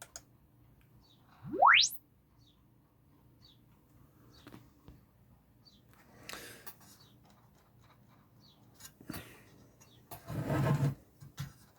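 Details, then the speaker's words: Spendor BC1 / Haycross HA3/8 speaker on original BC1 baffle, rising sine sweep test: clean sweep then rattly buzzing bursts at a few points, distortion from glued parts coming away and vibrating; to be glued back and retested. "Ooh, that's got distortion."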